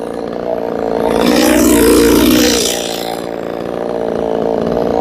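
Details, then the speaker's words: Two-stroke (a Poulan 3450 or a ported Neotec 6200A, unclear which) being tuned: steady, fast, high-pitched idle that swells and eases but never drops low. The idle is set too high. "You hear that idle's high?"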